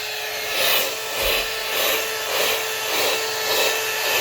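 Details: La-Z-Boy SlumberAir air mattress inflation pump after fixing the faulty latch by slipping a metal piece behind the catch; steady high whirring hum with gentle rise and fall, bed firming up and the pump staying on, so the repair succeeded.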